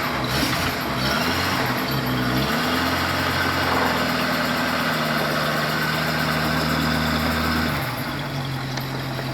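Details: 1937 Buick with a carburetor, cold start after October-to-May storage with fuel additive, converted to a 12V battery with a 6V starter: the engine catches quickly and settles into a steady, even idle with no misses; healthy.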